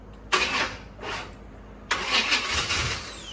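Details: Newly bought C4 Corvette, fuel pump on, slight gas held while cranking: two short bursts of cranking with sputters, never picks up speed or idles; cranks but won't start.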